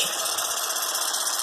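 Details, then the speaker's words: iRobot Roomba 500/600 series in built-in diagnostic test mode: steady, even high-pitched whir with no rumble, catches or rattles as it tests all motors; motors working normally. "okay it's testing all the motors so now all the motors are working fine"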